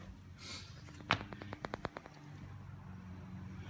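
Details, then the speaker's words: 2006 Audi A8 front parking sensor, engine off, microphone held close. A quick run of evenly spaced static-like ticks, about eight a second, shows the sensor is working normally. "it mits a staticky Ticky noise that indicates that it is working"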